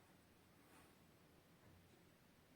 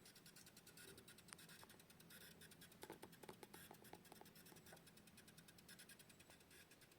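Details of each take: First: Xiaomi Mi router imported from China, after swapping its power supply for a new 12 V universal adapter (100–220 V; 3–3.5 A advised); near silence with faint room hush, no buzz or chiadinho, normal quiet operation. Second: Xiaomi Mi router (AliExpress import) with failing power adapter: faint steady hiss with irregular crackly ticks; router also reboots under heavy load with many devices connected; fix is replacing the supply with a 12V 3–3.5A bivolt unit.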